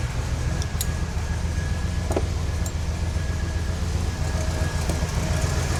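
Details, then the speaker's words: 1969 GMC truck, small-block V8, restarted after loosening the alternator: low, steady idle rumble with no belt squeal or chirp, idling smoothly with less noise. "Fire it back up now. See if I don't have as much noise. Yeah, it doesn't sound as bad."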